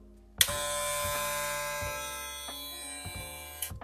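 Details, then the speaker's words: KEMEI KM-1767 clipper (9,000 RPM) measuring about 73.5 dB. A steady high buzz with an extra rattling vibration and odd acoustics, attributed to a loose-feeling part; the owner also suspects the ceramic blade adds noise. "se escucha como que está por esto que está como flojo hace que las vibraciones sean aún mayores en lo que es el sonido y se escuche como una acústica extraña en lo que es el equipo"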